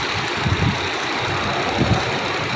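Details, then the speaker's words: 2013 Toyota Sequoia after no-crank no-start fix (reversed starter/fuel pump relay wiring corrected): starts and settles into a steady, even idle with soft low rumble, no knocks or misses; healthy. "Na-start na siya. Yan umaandar na. Okay na."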